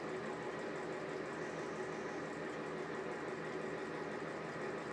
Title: Exhaust fan with bad bearings